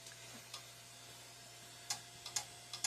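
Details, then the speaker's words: Old Compaq PC stored in a damp barn, rusty and dirty, first power-up: faint, uneven dry ticking about twice a second over a quiet hum as the hard drive clicks. Owner suspects a bad connection, not confirmed. "Yep. Gotta click and drive."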